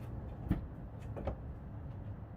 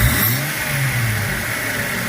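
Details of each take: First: 2004 Jeep Grand Cherokee WJ that stalls and hesitates at idle: slow cranking catches and settles into a steady pulsing idle after cleaning; owner suspects hard start was flooding, unconfirmed. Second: 2004 Jeep Grand Cherokee WJ that idled rough and stalled when throttle released, after cleaning the throttle body: steady even idle without dying, likely just gumminess; normal idle.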